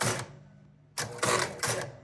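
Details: Gottlieb North Star pinball machine, start button pressed: score motor makes one short turn with quick relay bank clatter in bursts, then silence; it cycles once but never starts a game; game fails to start.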